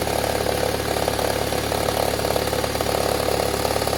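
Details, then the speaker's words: Toyota Harrier, 5S-FE engine, cold start after sitting: fast, fairly even ticking crackle, about three or four a second, over steady idle, easing as the engine warms; present about four months and worsening; timing belt checked fine; cause unknown, once blamed on loose plastic. "Но как только заводишь на холодную, какой-то треск стоит. Сперва мне все говорили, что это просто какая-то неприкрученная пластмассочка. Но треск-то все увеличивается и увеличивается."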